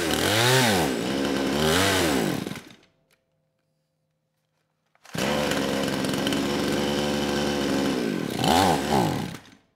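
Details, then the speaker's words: Kraftworld KW-5800 58cc Chinese two-stroke chainsaw, low compression after being run on straight fuel; low-speed jet two turns out, it catches in short bursts that surge and sag without reaching full revs, then dies and is restarted; won't rev out. "and yeah that's that's all it does you know I spent quite a bit of time on the lost footage trying to tune the carburetor anywhere from one turnout all the way to three turns out on the lowp speed jet and there's really no noticeable difference as far as how it reacts"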